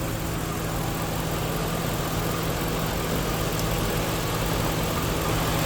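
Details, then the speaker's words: 1997 Chevy Venture just started after long storage and starter replacement, battery recharged; uneven lumpy idle with irregular low throb, stumbling but holding. Owner suspects old gas; oil and water checked good; it clears up. Rough running. "Disconnect that from my battery. It's running rough, but it's running. It's coming around. It's coming around. That gas can't be any good in it."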